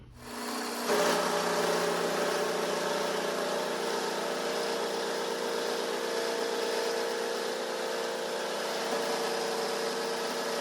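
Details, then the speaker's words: Vintage Craftsman 109 mini lathe turning the small diameter past the hex of a decorative 1" UNC nut, fed slowly near the jaw: a harsh buzzing rattle with a ringing tone over the motor hum; heavy tool chatter. "But we're almost there. It's got obviously a lot of chatter, but I'm going to give it a little bit of clean up and then uh we'll flip it around and finish up finish out the other side."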